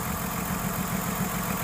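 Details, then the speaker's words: 2006 Ford Taurus 3.0L idling with cylinder 5 misfire (codes P0305, P0316): a steady stumble, a soft dip about seven times a second over the engine hum. Cylinder 5 plug was oil-covered, spark confirmed at the plug, and the cylinder is dead. "arted it up and you can hear the Miss so then what I did real quick came up here pull the plug and you can actually see it art so that was good confirm that I had spark"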